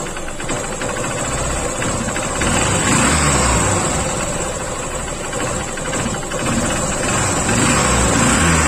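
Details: Honda CB Shine single-cylinder motorcycle at idle after engine work: steady ticking knock about three or four per second over the exhaust, returning after the engine runs a while; source unconfirmed, the part is to be changed.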